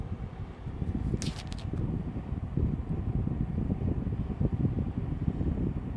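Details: Rubine Pro Eco unit heard from downstairs outside, running abnormally loud with a heavy, uneven low rumble, fluttering pulses and an occasional brief rattle. Cause unknown: loud rumbling noise.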